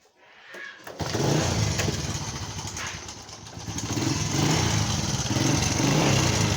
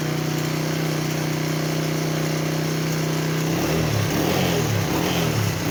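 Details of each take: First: Customer's motorcycle brought in for engine noise; engine oil checked and found very low. At idle a constant clattery rattle rides over the exhaust: timing chain, valve and rocker noise because no oil is lubricating the engine. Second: Motorcycle after topping up its engine oil and warming up. Steady, even idle with no chain rattle, then smooth blips. It is quieter because oil has reached the automatic timing chain tensioner.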